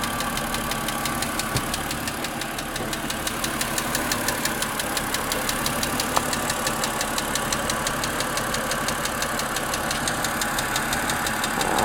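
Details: Car engine at idle on a cloudy, chilly, rainy day: steady light ticking about three per second, rising with throttle, on second start of the day, disappearing after 15-20 minutes; cause unknown.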